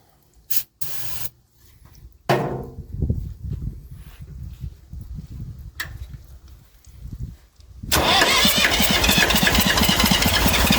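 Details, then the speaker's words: Massey Ferguson 35 diesel tractor, not started in weeks, given a little "goat juice." Water leaks, fuel leak; owner suspects injector copper sealing washers. Slow, uneven cranking chuffs, then a loud rough burst as it briefly tries: hard starting, slow to fire. "She tried a little."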